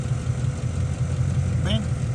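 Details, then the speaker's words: Ford F-150, codes P0356 and P0351, intermittent misfire cylinders 1 and 6, no current or voltage seen at injector 6: idle pulses unevenly with lumpy stumbling beat and engine shaking, misfire returning on cylinder 1; cause suspected, not confirmed. "estaba sigue temblando el motor ya ya no máss quedó la falla en el uno otra vez Ya volvió tiembla menos"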